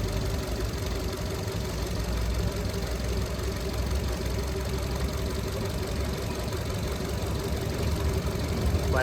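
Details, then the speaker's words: 2021 Maruti Dzire petrol+CNG with cylinder 2 not working (codes P0302, P0300, P0171 lean). It gives a deep, uneven, stumbling idle with heavy engine shake, still present after the codes were cleared. Unplugging cylinder 2 brings no change; the ECM is blamed as faulty. "पर engine में vibration है अभी भी। देख सकते हैं कितना ज्यादा इंजन हिल रहा है। कंपन कितना ज्यादा है।"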